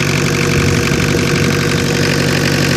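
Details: 1985 Ford Escort diesel, Mazda RF 2.0 engine, first start after sitting three years, not revved: steady, even clatter at low idle, no misses or knocks; settling into normal idle.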